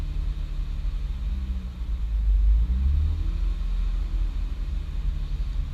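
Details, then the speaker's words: 2006 Honda Accord J30 V6 with Hondata tune and nitrous kit that sprayed at key-on: the idle rises and falls, hunting. A corrupted ECU tune is suspected as before; a vacuum leak was also suggested. "Sounds like you got a vacuum. It's done this before on the fucking tune, man."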